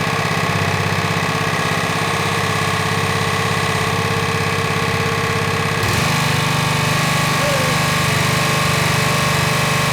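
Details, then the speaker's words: Honda GX120 on a Rol-Air air-nailer compressor after full service (carb, valve check), choke off, no load, throttle on high, one air connector off so air escapes: a steady, even single-cylinder chug with no misses and a slight pitch shift. Normal idle/running. "okay all right she's running good now I want to do an RPM test on this"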